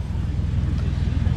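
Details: Commando exhaust at idle, after a broken pipe was strapped back on with stainless steel straps as a temporary fix: deep, fast puffing pulses, a flat low chuff. Exhaust still escapes through a hole in the muffler.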